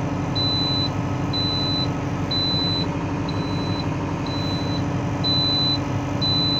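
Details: Valtra BM 110 tractor, steady engine drone with a high beep pulsing about once a second; the transmission oil warning alarm sounding.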